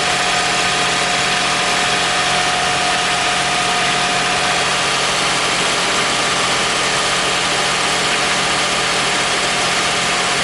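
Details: 2001 Toyota Sienna idling after the bad starter was replaced: steady, even idle with a constant hum, no misses, knocks or grinding; normal idle.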